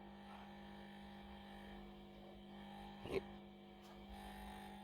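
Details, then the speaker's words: Buzz like a vibration from a 1967 WEM Dominator MK2 valve amp, plugged in and idling before a full service; steady mains hum, suspected loose power transformer bolts or laminations. "Now, I plugged this in earlier in my teaching room, and it had got a bit of a buzz on it, which felt like a vibration really. There it is. You hear that? So I wonder if the transformer's come a bit loose on that."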